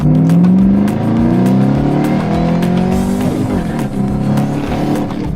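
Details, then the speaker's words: Ford Mustang GT500, rebuilt after fire and years off road: hard acceleration with clean supercharger whine climbing with revs over deep exhaust roar; healthy, normal supercharger whine. "Dude, that supercharger sounds mean."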